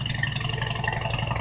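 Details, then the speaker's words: Normal cold start idle on a 2000 Harley-Davidson Road King Classic at about 28°F: loping V-twin idle with a steady, even thump and no tapping or clatter; started right up with no trouble. "I just fired her up. Man, this started right up good. It's a good runner. What a runner."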